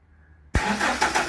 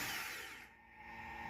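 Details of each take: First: Toyota Hilux 2.7 VVTi petrol double cab, after fuel tank sender unit replacement and wiring polarity reversal: quiet, then a brief crank and the engine catches at once, settling into an even, steady run; a clean, healthy start. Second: Toyota Hilux 2.7 VVTi petrol, after fuel tank submersible unit replaced for dead gauge: thin steady whir of pump inside tank while cranking, but no fuel reaches engine and it won't start.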